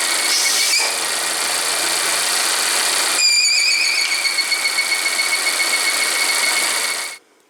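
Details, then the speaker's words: Volvo with a failed repair to its cracked PCV oil trap (32140004), P0171 lean code and high idle, on the third drive cycle: a high, thin whistle holds steady over the engine. This is a vacuum leak from the failed oil trap. "I was on the third cycle to clear the permanent code, which I'll explain. And I got the whistle of death. So let me record that. The whistle of death."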